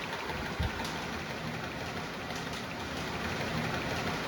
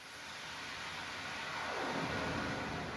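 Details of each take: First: Panda 3.5 cu ft portable dryer, about 6 years old: steady tumbling drone with loose, uneven rattle about three times a second from a stretched, torn fan blower belt slapping; belt replaced. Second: Panda 3.5 cubic-foot portable dryer running after its rattling blower belt was replaced: even airy whoosh as the blower spins up, belt tight with much less bouncing, no slap or rattle; normal running.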